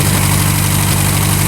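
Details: Revmaster air-cooled VW flat-four in a Sonex aircraft, warming up with CHT rising on both banks and oil pressure present: steady, even low thrum with a regular firing beat, no misses or knocks; idling cleanly.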